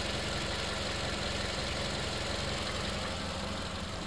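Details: 2013 Toyota Camry engine idling on 5W-30 oil instead of the recommended 0W-20; quiet, steady low hum with no misses, knocks or ticks, smooth enough to balance a water bottle on the engine; no leaks, no oil consumption.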